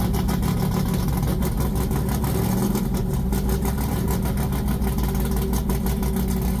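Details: Polara 500 with a big-block V8 and 4-speed: a deep, lumpy idle rising cleanly when revved, no knocks or ticks underneath; healthy engine.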